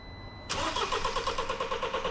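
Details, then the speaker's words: Toyota with a BMW engine, first start after timing chain replacement and reassembly: engine catches at once and settles into a smooth, even idle, no ticking or knocking; healthy. "Sounds great, a perfect wrap up to the job."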